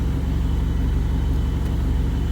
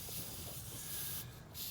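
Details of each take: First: Rebuilt turbo GST Eclipse engine at normal temperature after fixing an idle surge vacuum leak: deep steady rumble with no hunting or surging, smooth idle just under 1000 rpm. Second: Mitsubishi Eclipse GST, freshly built engine with new intake: steady faint airy hiss with no rhythm, air drawn through a cracked old rubber vacuum port on the throttle body, causing idle surge; to be replaced or sealed.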